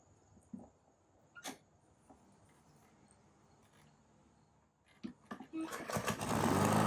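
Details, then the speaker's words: Lawn mower that would not start, spark plug already replaced, handle lever cable loosened at one end: clicks, then fires and runs steadily with no misfire, stops when handle released; normal running after cable adjustment. "it turned on and when I lose the handle it turned off"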